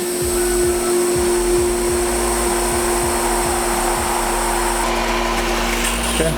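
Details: Whisper Flo 2 hp pool pump with newly installed Sentry replacement motor, after priming and while bleeding the air relief: steady motor hum with soft even low pulsing; running normally.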